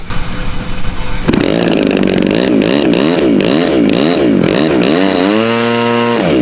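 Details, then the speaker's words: RC plane engine test run after a hard landing that smacked the tail: catches to a buzzy wavering idle, then climbs cleanly to a high steady whine; runs fine. "Start it up real quick. Let's see. Make sure it works."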